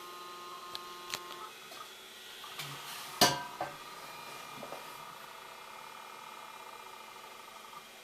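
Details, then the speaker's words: IBM PS/2 Model 8530-021 after 25 years of continuous use, while posting; faint steady whine with a few scattered soft seek clicks, no scraping or repeated knocking; hard drive sounds healthy. "Listen to that hard drive. It actually sounds good."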